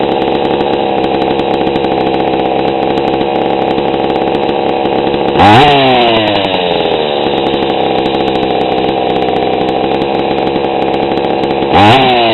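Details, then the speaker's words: GoPed gsr40 two-stroke with 603 high-performance carb, low-speed needle leaned a bit beyond a quarter turn: crisp, steady buzz picking up cleanly on two quick blips without sputter; smooth idle, low-end mixture correct. "that actually sounded pretty good"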